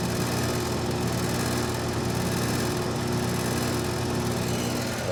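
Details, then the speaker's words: Carrier AC condenser on a no-cooling call: steady low compressor hum with constant fan whoosh, no clicking or struggling, mower droning behind; normal running. "like i said we should get that all good compressive sound yep already"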